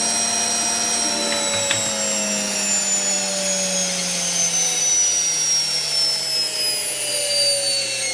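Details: Hotpoint HTB721 washing machine drum motor hotwired with live and neutral directly to brushes and coil: loud high-pitched whine, steady and slowly sinking in pitch as it spins freely, no grinding; motor works.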